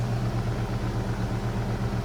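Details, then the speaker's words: 2011 Ducane heat pump in heat mode, early-season startup at about 67°F outside with the closet at 62°F: steady, low, even compressor hum with no knocking or rattle; rough-sounding but whisper quiet, a normal start. "That sounds kind of rough, but it's whisper quiet. Pretty much, pressure's almost inaudible."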